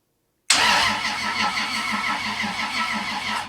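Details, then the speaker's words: 1978 Datsun 280Z with 2JZ swap, first-ever crank on an old used starter via temporary switches, ignition off. Starter spins engine at an even pace for about three seconds with regular compression pulses; healthy cranking. "Let's just see if it cranks. It does. I was worried that that starter, it's an old used starter, might not be any good."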